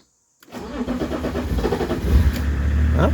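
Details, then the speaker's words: BMW E36 325 TDS with a hot-start problem: slow, uneven cranking before it catches and settles to a rising idle. The owner says it struggled because the temperature gauge was in the blue zone, and doubts this fixes the hot-start fault. "elle a elle a galéré un peu parce qu'elle est dans la zone bleue elle était dans la zone bleue"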